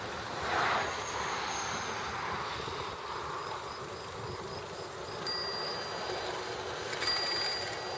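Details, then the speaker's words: Bicycle brake after spraying electrical-grade silicone and bedding in the brakes: spinning wheel braked with only a soft rub and two faint brief chirps, squeal largely gone. "There you go. Just about zero squeak. I mean, you might get a teensy tiny bit, but for the most part, substantially improved."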